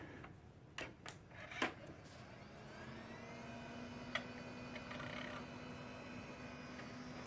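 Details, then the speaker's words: Dell Dimension XPS with Pentium II 300 and a loose, possibly non-original power supply, at switch-on: a few clicks, then steady low hum with faint even whir; fan and power supply running normally. "Thing humming along."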